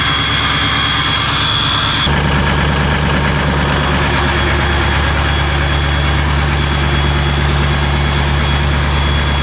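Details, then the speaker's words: Diesel cold start: catches and settles into a loud, uneven clattering idle with heavy low rumble, running rough until warm; glow plugs possibly needed, unconfirmed. "Damn thing sounds like two hammers and a dryer."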